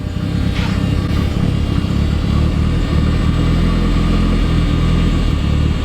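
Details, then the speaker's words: Ford Escort RS Cosworth that kept cutting out; with new fuel filter fitted, low idle drone with uneven beats and occasional stumbles, still spluttering and missing on tick-over; rough misfiring idle not fixed by filter. "by fellas now with the new fuel filter fitted it is un fortunately still spluttering and missing on tick over"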